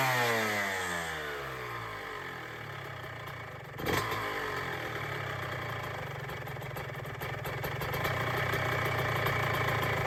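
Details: 2006 Honda CR125R after ground-up OEM rebuild with new top end: fires with a sharp crack, then a crisp, rapid ring-ding idle and clean throttle blips; healthy two-stroke.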